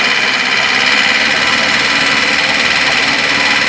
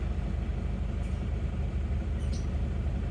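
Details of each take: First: Isuzu Panther diesel just bought from a showroom, metallic 'nrek' knock when revved above 2000 rpm or blipped from idle, unchanged after valve adjustment; knock eases as revs drop, piston-to-head contact from an overly thin head gasket. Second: Isuzu Panther diesel after repair, heard from inside the cabin while revving on a test drive: steady, even idle chug with no rattle or knock; the earlier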